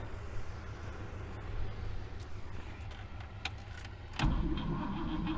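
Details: 1964 Buick Riviera that sat 23 years in a field, tried with extra current and a little gas. A slow, uneven cranking rumble, then a sudden jump as it tries to fire, but it won't keep running; the worn starter's bendix disconnects when it fires.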